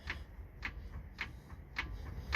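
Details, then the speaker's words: 2006 Toyota Avalon XLS, raised, front wheel rocked by hand after repeated wheel bearing failures: light sharp clicks about every half second as whole lower control arm moves; bushings completely gone, likely causing bearing wear; arm to be replaced. "the whole entire thing okay that's not good at all so i want to replace that yeah the whole whole entire thing is moving"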